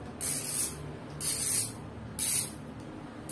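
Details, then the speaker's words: Fastace 3-pawl wire-spring "cricket" rear bicycle hub, stock before upgrade, wheel coasting: crisp high-pitched ratchet buzz in short bursts about once a second; normal healthy freewheel. "nah ini suara asli dari hax pasti jadi ini belum diupgrade suara aslinya seperti ini"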